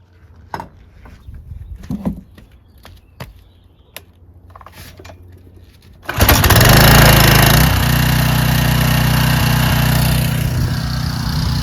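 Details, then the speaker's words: Curbside Troy-Bilt/Craftsman pressure washer after carburetor cleaning, spraying with a Ryobi gun; single-cylinder engine pops to life and holds a steady even drone under spray load, no hunting or sputter; fixed. "works great. Fixed. There you go, fellas. That's how you fix a pressure washer naked."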